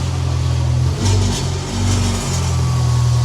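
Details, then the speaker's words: Mitsubishi Evo X on a lift, recorded from underneath while someone gives light revs in the driver's seat: tinny buzzing rattle rising with each rev, traced to a loose heat shield. "some light [Music] revs you hear that rattle come over here you see I don't know if you can tell but you see how this is moving"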